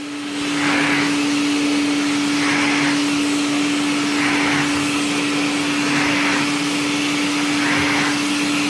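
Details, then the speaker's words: IEC Compact Electra Model C8 vacuum after a new motor install, running on the floor: strong steady high whine with a smooth, even rush of air and no rattles or surging, healthy. "that's it that's the noise to make so much better hear that airflow not a bear"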